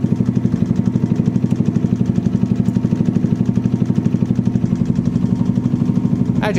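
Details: Small-capacity motorbike just started during a charging check, battery 12.58 V before start and nearly 15 V running: steady single-cylinder putter at about four beats a second, even and unbroken; normal idle.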